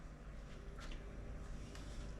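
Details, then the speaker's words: VEVOR 55 A RV converter, 120 V AC in, in power-only mode not charging batteries, drawing about 3.6 A: quiet, steady low hum with soft fan air rush, no knocks or stutters; normal running hum. "and here hear the hum of it right now and I feel the air flowing so it's getting all the power it needs"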